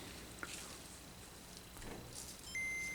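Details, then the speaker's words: Working Game Boy DMG board fitted with the crystal from the non-booting board, second power-up: clean high boot ping, another good boot, proof the crystal was not at fault; owner blames the CPU. "and a good boot still. Okay. So, feel like that is definite proof that it was not the crystal, which like I said, it is the CPU."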